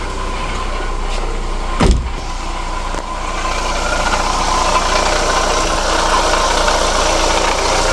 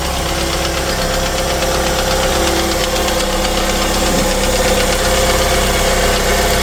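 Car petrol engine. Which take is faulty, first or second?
first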